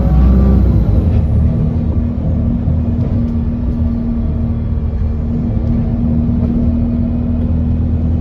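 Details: Alexander Dennis Enviro 200 bus diesel engine at idle: heavy rumble with an uneven whirring drone and faint irregular ticks; strange abnormal engine noise, cause unclear.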